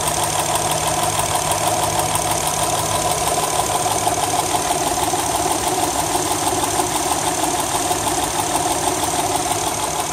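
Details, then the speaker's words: 2008 Honda Accord Coupe, 3.5L V6: fast, sharp, loud metallic ticking about three per second over a steady idle, louder when accelerating; cause unknown, owner has read it may need a valve adjustment. "I've been having some problems with the car and it's been doing this major ticking noise and I when I say major I mean it's really loud"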